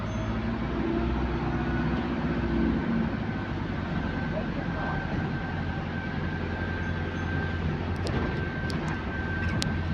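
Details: GAL EH179 electric bus on route 321, after a weird noise was fixed, heard while driving: a steady mid-pitched traction motor whine holds level over road rumble, smooth and healthy.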